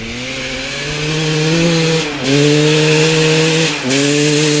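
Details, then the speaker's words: 1995 Honda CR250 two-stroke with the old CDI and old stator both reinstalled: crisp, steady note; revs dip briefly twice and recover with no bog. Runs normally. Owner suspects the replaced gas line or the flywheel. "well this is getting very bizarre so now both the CDI and the stator swapped out with the old one still runs good no bugging what the heck"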